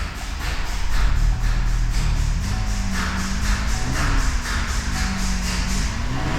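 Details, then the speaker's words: 2019 Chevy Traverse 3.6L just after catalytic converter replacement and welding of a broken brace, codes cleared; low idle rumble with a fast, steady puffing tick; exhaust leak at a missed spot on the welded pipe top. "Definitely sounds like an exhaust leak, so I gotta lift it back up and check that out."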